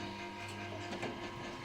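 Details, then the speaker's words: Sugarcane juice press, unused for about a year, run after rust-penetrant treatment: irregular metallic clatter over a steady hum; chain sprocket loose as its hex set screw backed out, not bearings, which were replaced two years ago. "ลั่นนะเพื่อนนะมันลั่นนะครับผมลั่นเป็นพ่อโซ่นะครับตัวโซ่ตัวนี้จะมีการยึดด้วยหเหลี่ยมนะครับเหเหลี่ยมมันคายตัวออกนะครับคายตัวออกแล้วสเตอร์มันไปมาได้นะ"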